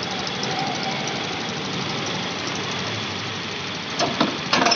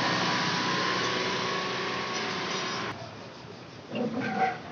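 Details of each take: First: 2021 TVS Jupiter BS6 fuel-injected scooter after lowering high idle via the RPM setting bolt and retightening its nut: low, steady idle with even settled hiss, no hunting or surging; normal controlled idle. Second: TVS Jupiter BS6 fuel-injected scooter before adjustment, RPM setting bolt beside the injector not yet loosened: fast, steady, busy idle that never settles, then drops away; idle speed set too high.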